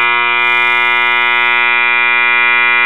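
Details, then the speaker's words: 1977 Realistic Radio Shack STA-64 stereo receiver: loud constant 120-cycle hum with raspy edge; hum stops when moving the power supply electrolytic filter capacitor (Elna, 4700 µF 35 V), either bad solder joint or intermittent connection inside; the capacitor was found bad. "see when I move it hum goes away so that's either a bad solder connection or an intermittent connection inside the capacitor"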